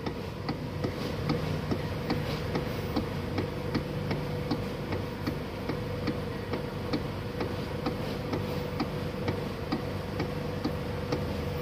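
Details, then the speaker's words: 2009 Toyota Alphard ANH20, 95,000 km, at idle: sharp regular clicking knocks at the steering about two a second, from a crumbled steering damper; replacing the damper cured it. "teman-teman udah denger ya udah jelas banget bunyinya kletak gimana ini indikasi bemper sih hancur Bang udah pasti ya"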